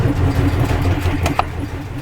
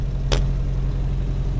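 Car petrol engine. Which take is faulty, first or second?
first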